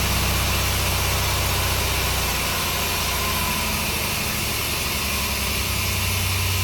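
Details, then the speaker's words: 1964 Willys CJ5 Jeep with Chevy 4.3L V6, distributor possibly moving: idle stumbles with a lope about every half second; missing, owner suspects one cylinder, not confirmed. "Okay, it seems like it's missing just because it it's hesitating."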